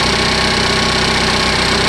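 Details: 2015 Cadillac ATS Luxury 2.5L GDI RWD, junkyard used engine freshly swapped in, warming up at idle after coolant fill: smooth steady idle with fast light even ticking on top; normal direct-injector tick, healthy engine.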